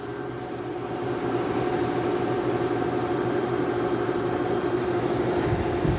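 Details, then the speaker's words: EQK 8000 BTU air conditioner after capacitor replacement, drawing about 1250–1290 W: smooth steady hum settling in with even fan rush, frosty coil and cold air out; compressor running normally. "it's definitely nice and frosty now this time air coming out of it feels nice nice cold and that recepts just humming away really nice sound"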